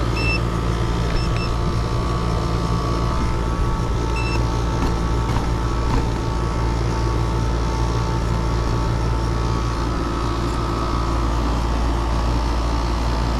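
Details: Mobile home AC after the leaking two-year-old Mortex evaporator coil and thermostat were replaced, while recharging (just over nine pounds of a 10-pound charge) at 60°F outdoors: heavy steady low hum, constant fan rush, faint tonal buzz, no rattles or surging; normal running.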